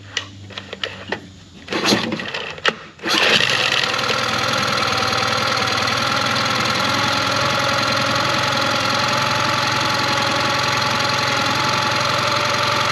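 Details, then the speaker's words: 2001 Yamaha 15hp four-stroke short-shaft outboard, sat in a barn 5 years, first start after service, engine primed, no leaks: a few cranking bursts, then catches into a steady, even idle, no knocks or misses; sounds fine, idle to be lowered slightly. "So it doesn't sound too bad, but I am going to just slow it down just a hair."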